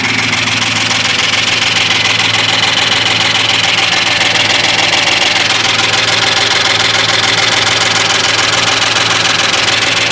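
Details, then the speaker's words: Rebuilt 1998 Ford F-150 4WD 5.4 two-valve V8 without cam phasers, rebuild about 1.5–2 years old; quick, even ticking about 3.5 per second over idle on the passenger side; lifters and lash adjusters already replaced; exhaust and timing chain not yet done. "And um all of a sudden acquired this nice sound."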